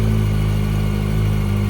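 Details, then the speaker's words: Yamaha R1 that had a knocking/ticking noise, now warming up with no more leaks: steady, even idle hum with constant pitch, no ticking or knocking; sounds healthy. "Sounds good. Just let her get up to temperature and let her cool down a bit and do the heat cycle once or twice, and then just check it."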